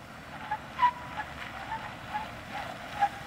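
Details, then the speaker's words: Lexus LX 470 full-time 4WD with the center differential locked, creeping through a tight turn. Short squeaky tire chirps about twice a second as the driveline binds. "now watch as he engages the center differential Locker you will notice that the LX 470 starts chirping"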